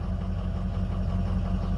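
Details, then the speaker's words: Ford 6.0 Powerstroke diesel after a new FICM was installed: deep idle with a faint uneven lope; contribution test shows drops on cylinder 7, cylinder 3 slightly low, and the turbo sounds weird; misfire from one faulty injector. "Looks like we're seeing drops on 7 for sure. 3 is a little low. That turbo sounds weird. Yeah, I can feel it in the truck the way it's driving, or at least down one cylinder."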